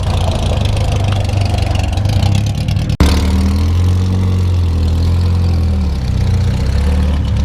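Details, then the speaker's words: 1973 Volvo 142 SCCA race car four-cylinder, idling after a short warm-up: deep, steady burble with an even beat and no knocks or misses, sounds really good. "so now this sounds really good yeah looks good"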